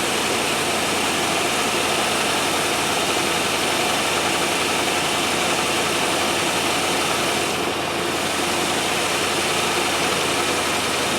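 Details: 1997 Land Rover Discovery 1 on a stand-in battery, shortly after first start: the idle is smooth and even with no misses or knocks, but sits a little high.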